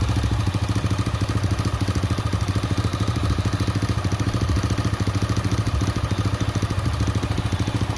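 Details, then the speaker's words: Honda Astra Star/Supra motorcycle, hard to start; sharp, even ticking at about 160 per minute over a low idle, cam chain ruled out; valve train worn from oil starvation. "Oke teman-teman, jadi masalahnya di oli ya, oli yang nggak na"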